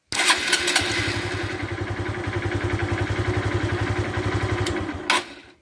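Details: 2013 Honda Fan 150 motorcycle that would not start on the button, starter relay bridged directly to battery positive: brisk, even starter whirr with quick regular pulses spins engine freely; relay fine, fault lies upstream in start-button wiring.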